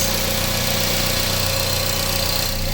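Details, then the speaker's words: 2006 Mazda NC Miata with 186k miles, started after the power steering pump was replaced: a smooth, even idle with a steady low hum and no ticks, knocks or whine, much quieter than before, with no leaks seen. "Okay, we are gonna start this up. Oh, it's so much quieter. Oh my God, it's awesome."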